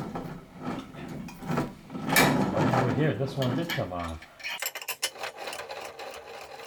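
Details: Keys Fitness Discovery 6.0 exercise bike, crank turned by hand with a pedal removed: a dry, gritty rasp with uneven scraping instead of smooth spinning. The crank bearings are worn and due for replacement along with the drive belt.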